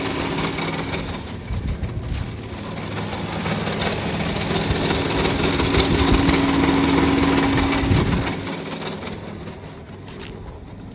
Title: Chrysler Town & Country 3.8L 4th Generation (2006) rough idle at stop, but goes away when restarted